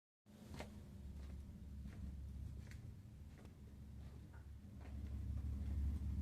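Steady deep low rumble under the running boiler, growing louder toward the end; the burner is rumbling, cause unclear.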